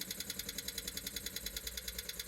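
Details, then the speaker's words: 1974 Rolls-Royce Silver Shadow with carburetors, not starting; the electric fuel pump ticks rapidly and evenly about eight a second without winding down, seemingly sucking air instead of filling the carburetors, and a fuel leak is found at the front. "oh yeah it's supposed to wind down when uh when the carburetors are full still kind of sounds like it's blank noise that it's just uh just sucking in air"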